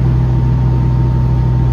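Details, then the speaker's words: Diesel-powered hay swather during third alfalfa cutting, running again after tank ran dry and refilled, lift pump cycled; strong steady low drone with constant hum, no misses or surging; runs far better with fuel, normal running. "Runs far better with fuel in the tank. Who knew?"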